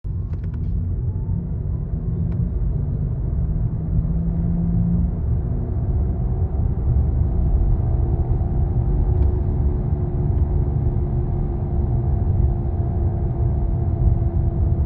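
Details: Electric vehicle cabin while driving: a deep, steady rumble with a faint hum on top and no engine noise, attributed to a bad wheel bearing and especially noticeable in an EV; the cause is suspected, not confirmed.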